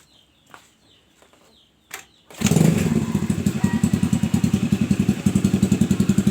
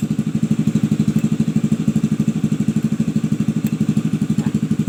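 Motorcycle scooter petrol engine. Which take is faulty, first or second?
first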